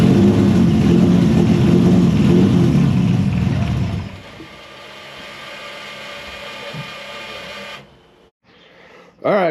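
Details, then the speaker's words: Engine with new homemade 3D-printed intake manifold after earlier intake explosion, now started after PFI Speed remotely corrected ECU settings: loud rough revving in small room settling to steadier quieter run; normal running and revving. "So, as you saw, she started up."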